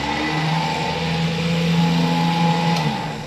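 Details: Repaired gooseneck trailer winch motor (starter-type motor, end bearings greased) bench-tested on battery leads, no load; steady even electric whir with no grinding or stalling, running freely and healthy.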